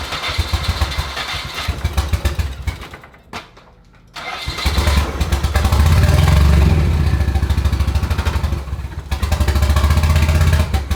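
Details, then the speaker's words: Stock single-cam KA24 240SX, automatic, untuned, freshly fitted with a scrap Skyline turbo, first start: uneven, lumpy firing with stumbles and hard shake, not running on all cylinders. Cause: spark plug wires in wrong firing order. Misfire. "It's firing hard. Sounds like it's not running on all cylinders. Let's check them."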